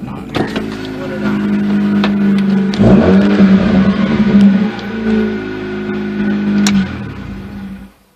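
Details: 2004 Mazda RX-8, 105,000 miles, after new ignition coils, wires and plugs and a throttle body cleaning: starter cranks steadily about four per second for several seconds before it stops; hard starting, owner guesses ECU relearning idle after throttle body work.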